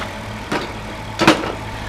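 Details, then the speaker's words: Chrysler Town & Country van with a 3.3 engine, idling after the alternator was replaced and the EGR reinstalled; the battery light and bearing noise are gone. Even, steady idle hum with a couple of brief knocks from handling and no bearing rumble or whine. Normal idle. "make sure you put your egr back on plug everything back up no more battery light no more bearing noise"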